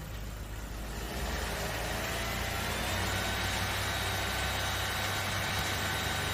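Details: Toyota Vios that overheated while driving, after fitting a thicker 22 mm radiator and bleeding the cooling system; steady even idle after a brief rise, smooth pulse, no knocks, healthy.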